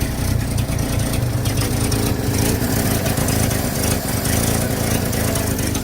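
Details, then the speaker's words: 1950 Chevy coupe, 216 inline six with low pressure oiling, choke fixed with 3D-printed part; even, smooth low idle with no knocks, misses or ticks, sounding better as it warms; normal idle. "Oh, you can hear it as she runs a little longer. She sounds better and better."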